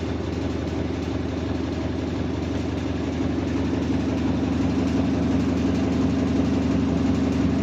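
A deep, steady drone with a faint pulsing about three times a second that grows slightly louder; the washer hums like an engine, cause unclear.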